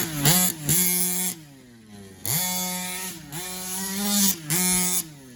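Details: HPI Baja 5B SS two-stroke RC engine test after a carburetor rebuild: sharp buzzing blips from idle several times and drops back cleanly without stumbling; crisp, healthy running.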